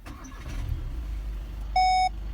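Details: 2016-2019 Volkswagen started by start/stop button after key fob battery replacement; low rumble as engine catches and settles to even idle, then two short chimes; clean, healthy start.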